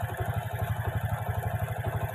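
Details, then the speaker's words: Honda Karisma motorcycle after replacing only the cam chain and its tensioner, plus fixing the oil leak and cleaning the oil and valve rings, no valve work; idle now smooth and even with no ticking; normal idle. "ini nampaknya sudah halus sudah lumayan sudah bagus ini ada"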